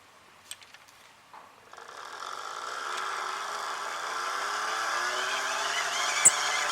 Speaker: you can hear it slipping right now. Now it's normal. See it's slipping, the handle's spinning faster, but the generator itself is not going faster. And that is how this particular type is designed.